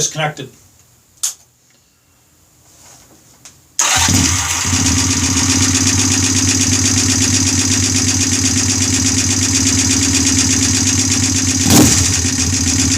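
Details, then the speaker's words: Honda bobber build first startup on OEM carburetor: after a quiet lead-in the engine catches into a fast, busy idle with a light rapid tick; owner thinks valves need adjusting again. "so sounds like i gotta adjust the valves again now"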